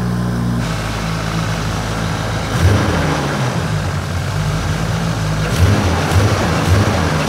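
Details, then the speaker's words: Toyota JZX100 Cresta Roulant G 500hp drift car, first start in two years, out of gear; fires on first crank and settles into a strong, lumpy but steady idle with deep exhaust rumble, no knocks or misses. Normal idle. "good that sounds really good let's just leave it there"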